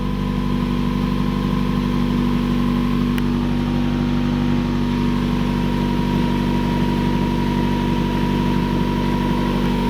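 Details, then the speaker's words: 2015 Subaru WRX idling after installing Grimmspeed J-pipe, boost control solenoid, TGV deletes and Killer B charge pipe, before dyno tune: steady smooth low rumble with faint constant tone, no ticking or puffing; no exhaust or coolant leaks, runs well. "Doesn't sound like any exhaust leaks. Sounds like it's running pretty good. No coolant leak there."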